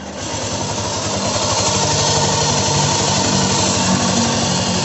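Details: Yamaha Nmax scooter: steady fast rattly clatter over the running engine, about four beats a second, from the CVT; cause is a loose front pulley nut.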